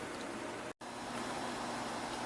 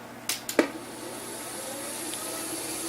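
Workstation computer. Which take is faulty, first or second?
second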